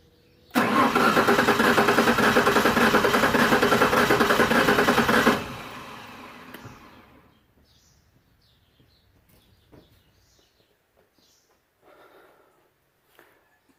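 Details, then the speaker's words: 1996 Ford Ranger 3.0 L V6 cranked at full throttle with the coil disabled: an uneven starter beat with a brief pause, one stroke lighter; low compression, with cylinder 4 identified as not working. "los que ya tienen experiencia se darán cuenta que el sonido del motor no es constante hay un momento en el que hace una pequeña pausa y bueno eso me dice que en algunos de los cilindros no se están generando compresión"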